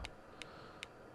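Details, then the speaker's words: Harvard 410T CB handheld with reverse polarity damage, after LM386N audio IC replaced: receiving but no audio, only faint sharp pops every 0.4 s over hiss; 12 V where it shouldn't be, failed demodulator chip upsetting the audio amplifier. "We've just got no sound. Nothing. Not a crackle. Absolutely nothing. But we have a strange pop."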